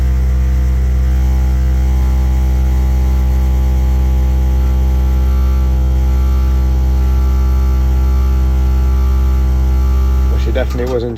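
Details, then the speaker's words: Five-year-old Worcester Bosch 30i ErP gas boiler firing with a loud deep droning roar, reported as banging, because the air intake silencer at the back was missing. "Customer says boiler's making a really loud banging noise and they've had to turn it off, so let's see what we can hear."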